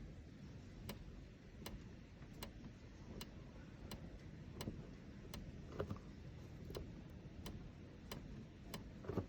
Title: 458 Spider Roof rattle/noise